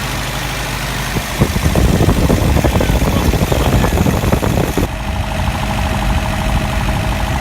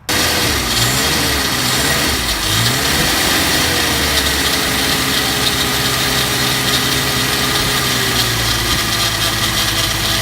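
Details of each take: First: Engine idling after a manual fuel pump and regulator install, fuel pressure set a little over 2 psi: steady low rumble and even beat, no misfire or stumble; running normally. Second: Engine with newly installed manual fuel pump and regulator, started with starter fluid: runs with a coarse, gravelly rattle over idle and wavering revs, a noise not there before, odd smell; cause not yet found.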